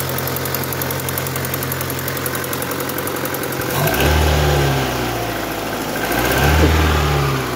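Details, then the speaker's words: Opel Astra G coupé Bertone fresh start after throttle body cleaning and intake refit (intake gasket pending); light regular ticking, three to four per second, over idle. Owner suspects a lifter needing to pump up, plans thicker oil, unconfirmed. "après, il y a ce petit cliquetis là. Regarde, attends. Merci mon petit. Non, pas un petit cliquetis là."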